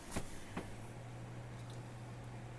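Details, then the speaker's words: Gaming PC that wouldn't boot after cleaning, powered on after RAM reseated and CPU fan and power connectors corrected: two clicks at switch-on, then a steady low hum of fans and spinning hard drives. It boots to the screen, healthy. "can hear the hard drives going. Takes a little while."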